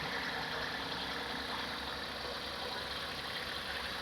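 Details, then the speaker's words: Hyundai Eon after replacing the radiator fan motor, on a cold start with the aircon on: a steady, even fan rush over a quiet idle with no rattle, scrape or wobble. The new fan motor runs normally, and no hose leak was found. "so as you can see the motor is working you can hear it as well the motor is working yep"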